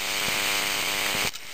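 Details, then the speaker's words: Xbox hard drive with clear Elmer's glue put on the spinning platter. A thin, steady whine with a soft tick about once a second, then it cuts out. Glue drag overloads the spindle motor, which never reaches full speed. "it's working though it's not it's not speeding up all the way though is it ATT to it it's trying to speed up all the way"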